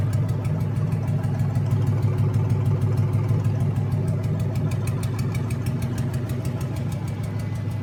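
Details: Junkyard 2009 Dodge 5.7 Hemi, about 80,000 miles, bound for a 1972 Cuda, on a run stand with new Hotwire harness and used 2009 Challenger PCM. First startup. Smooth, even V8 burble with steady low rumble, no knocks or misses. Normal idle.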